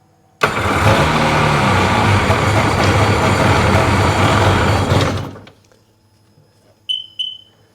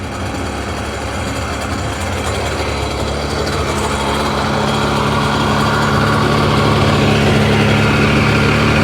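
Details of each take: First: 2005 Sea-Doo 3D with 787 RFI engine that had sunk: starts fine, then runs rough about four seconds and dies; MAP/air pressure reading intermittently drops to 3 (should be 14), bad connection suspected, grounds being cleaned, cause unconfirmed. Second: 2005 Sea-Doo 3D 787 RFI that had sunk, stalling at idle, with the MAP sensor reading about 4 psi: steady, even two-stroke buzzing idle that holds as it settles, no misses or hunting; runs fine for now.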